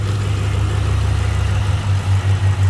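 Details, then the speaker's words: Ford 4.6/5.4 3-valve V8 after replacing a VVT solenoid for a P0022 correlation code and misfire: steady, deep burble at idle, responsive, with no ticking or stumble. "all right so far so good nice and responsive sounding good what do you think Jasper what do you think Buddy I don't hear any ticking that sounds a heck of a lot better to me"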